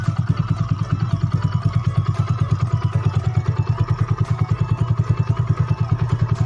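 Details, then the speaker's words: Yamaha Mio bored up to 150cc with standard carb and valves, restarted to show how smooth it is: steady single-cylinder putter about three firings a second, even and knock-free; healthy idle. "biar sobat YouTube nggak denger suara halus enggaknya tolong bisa lagi di"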